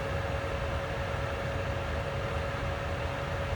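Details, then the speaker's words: ICP Comfortmaker gas furnace after variable-speed blower motor replacement (no-cooling call, indoor fan dead), jumpered R to G: smooth, even airflow rush with a faint steady hum at 50% continuous fan speed; no rubbing or ticking, healthy. "so just to just to watch it work one time I'll stick that wire right there and I'll let it ramp up"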